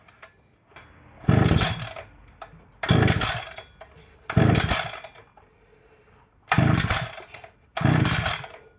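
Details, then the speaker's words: Pole hedge trimmer two-stroke engine after its carburetor was refitted on a retapped intake pipe, started on choke after priming: loud raspy surges about every second and a half as it fires and picks up. "Donc alors, euh, donc là oui normalement j'ai le starter. Donc j'ai pompé, c'est bon. Donc voilà, ça devrait démarrer."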